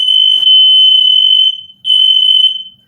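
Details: First smoke detector installed in a house: two long piercing high-pitched blasts, steady and full volume, about 1.5 seconds each; the alarm works properly.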